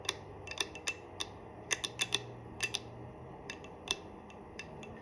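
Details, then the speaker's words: Colt GAU/5/A/A built by U.S. Ordnance: sharp metallic clicks come in close pairs on each trigger reset, catching two spots on the disconnector; the cheap factory hammer was later replaced with a Colt hammer, which fixed it. "You can hear it clicking. It goes through 2 clicks. 2 spots on the disconnector somehow."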